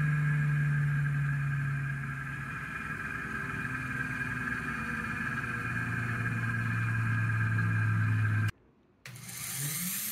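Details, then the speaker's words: 1908 Spencer Turbine central vacuum, about 115 years old, running after cleaning and reassembly: constant low hum with a droning throb; vibration still excessive; owner plans new bearings in case that helps. "once again I was disappointed to witness that the vibration was still excessive"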